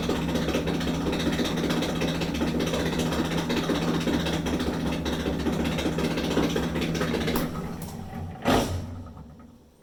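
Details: Maytag Dependable Care Quiet Plus II dryer, model LDE9806ACE, running with a harsh, loose metallic rattle and squeal over a steady hum; worn blower wheel spinning freely on the motor shaft.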